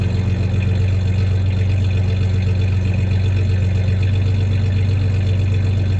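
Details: 1993 Ford Ranger 3.0 V6 idling with a slight misfire, with a little rev: low steady idle with a slightly uneven pulse, about four beats a second; the clanking is bed tie-downs, not the misfire.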